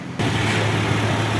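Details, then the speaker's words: Toyota Innova petrol engine started after oil leak repair (valve cover, brackets, power steering pump, AC compressor, alternator removed and refitted; fuel filter cleaned and plugs refitted): catches and settles into steady smooth low idle, no knocks, ticks or misses; all warning lights off, normal idle. "Udah normal ya, udah halus ya, ya."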